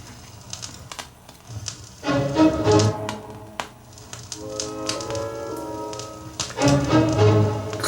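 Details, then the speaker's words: Dual 704 direct-drive turntable, repaired from a no-run condition, playing an uncleaned record with sound on both channels. Sharp random clicks and pops break through the music: surface noise from a dirty record. "track pop pop click pop click pop vinyls trademark all that noise of course this record hasn't been cleaned"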